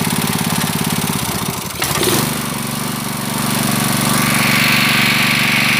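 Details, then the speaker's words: Honda GX160 5.5 hp water-pump engine, unused a year, black-fouled spark plug cleaned and reused: single-cylinder chugging steadily, picks up briefly as the governor catches ('dut' sound), then settles to an even idle; governor still working, runs better. "So the stationary position is like this. It feels better . The 'dut' sound is so It indicates that the governor is still functioning"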